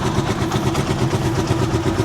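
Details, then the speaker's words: Rusi Chariot 175 single-cylinder motorcycle, cold engine just started: even low putter with no misses, knocks or rattles. Idle speed is just right, neither high nor low, a normal idle. "Yung minor niya sakto lang yan guys. Yan, kung maririnig niyo yung minor niya, hindi po yan mataas, hindi rin mababa yung minor."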